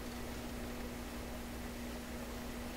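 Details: Sanyo GXT4505K combo radio, record and tape player of unknown condition, FM band under first checkout; constant hiss with only a faint steady tone, no station coming through; very weak FM reception.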